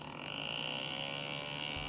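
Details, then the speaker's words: Retroflag MegaPi case small cooling fan on the Raspberry Pi heatsink: steady high-pitched electric buzz over the fan's whir as the fan vibrates against its mount; fixed by rotating the fan to sit securely. "so it is vibrating.. so, just needs something to... stabilize it's not downwards, either to the right or to the left"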